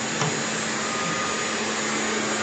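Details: Constant-pressure water supply pump that made an odd sound on startup: smooth even motor whir with a steady hum and no knocks or grinding; the pump is running normally.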